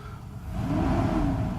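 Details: Mercedes S600 W140 after a throttle body overhaul, warm and idling smoothly at the correct rpm; a light pedal tap revs it cleanly and instantly with no hesitation; healthy throttle response.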